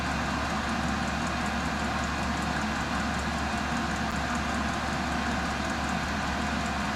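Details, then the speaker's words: Portable diesel air heater warming a 10x20 building, exhaust fitted with muffler: steady whooshing blower with soft whistle and faint light ticking, even throughout; muffler damps the exhaust whistle. Normal running. "this is the exhaust has a um muffler on it you know this thing's not really loud it just makes a kind of a whistling noise and the muffler kind of uh dissipates that Whistling noise so which is great"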